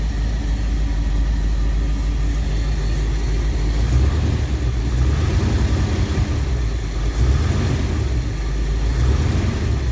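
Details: 1959 Ford Galaxie Fairlane 500 V8, off the road 14 years, idling after carburetor work: deep, steady burble with an even beat, no knocks or stumbles; accelerator pump not working yet.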